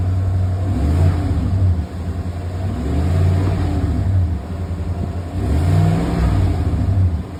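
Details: 2020 Chevy Silverado LT 5.3 V8 after replacing the drive belt tensioner pulley and serpentine belt to cure an annoying whine: revving smoothly, deep low rumble rising and falling, no belt whine; normal running.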